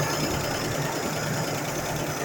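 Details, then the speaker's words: 1976 Chevy Camaro with an inline engine, running again after fuel was poured into the carburetor float bowl. Normal idle: an even, low burble under a lot of hiss, with no knocks or misses. "There she goes. There the Camaro runs. $26 later."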